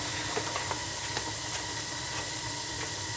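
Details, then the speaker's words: Old gas boiler, about 20 years, that had been clicking with no heat: after the ignition controller was replaced (the gas valve was fine), the burner runs with a steady, even roar and no clicking or sputter; normal flame. "That's a nice sound right there, huh? Yes, it's a nice sound. So it wasn't the gas valve, it was that controller."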